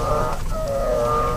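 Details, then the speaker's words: 2012 Nissan X-Trail T30, about 65,000 km: drawn-out squealing howl when the steering wheel is turned hard, from the steering shaft rubbing dry in its rubber firewall seal; fixed by disassembling, cleaning and greasing with Litol-24. "такой вот вой можно его так назвать вот там идет вал кардан между значит когда входит в моторный отсек есть резиновая прокладка вот и это и будем смазывать"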